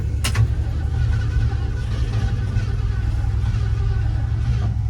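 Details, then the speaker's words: 1976 Ford F-150 V8 abandoned 22 years: starter cranks steadily with low chugging but engine never fires; carburettor parts seized with no movement, fuel had flooded intake; carburettor judged beyond saving, rebuild or replacement planned. "after further investigation uh that carburetor is literal dogs and it will never ever run"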